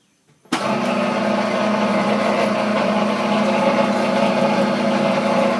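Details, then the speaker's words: Chinese-made sugar cane press, new model, running with all parts tightened and no play: steady droning hum with a low whirr, noise from the lower drive area rather than the rollers. Cause unknown. "again it sound like the noise is coming down in the lower area not up in the area where the the rollers are"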